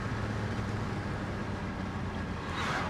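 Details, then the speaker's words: 1994 Mercedes E500 V8 after new spark plugs, before the distributor cap and rotor: smooth, even idle with no misses or ticks, running great. "Alright, taking this thing on a road test. It's running great. Nice and smooth, idles nicely."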